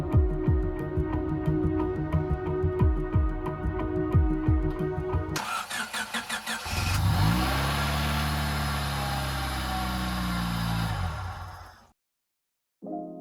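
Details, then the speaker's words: Manual-swapped 1994 Honda Del Sol with junkyard transmission, after timing fix and reconnecting transmission ground cable: short crank catches into a steady, even idle before shutting off; clean, healthy start. "and so here we are my new and improved Manuel Dell soul and oh my gosh is this surreal"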